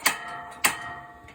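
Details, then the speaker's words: RV propane stove checks after purging air from the lines: two sharp, crisp igniter snaps about half a second apart, then quiet as the burner catches; normal ignition. "and those usually go pretty quick [Music] so now you can see it's getting propane this far and they all ignite on mine"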